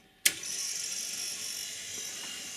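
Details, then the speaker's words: Rock-Ola 456 jukebox with a selection made: sharp click, then steady high whirring that never settles as the carriage keeps searching without finding the record; owner suspects a carriage or solenoid gear problem, or dirty contact wipers, unconfirmed. "but it just keeps spinning and spinning it never finds it so that might be a problem with the carriage"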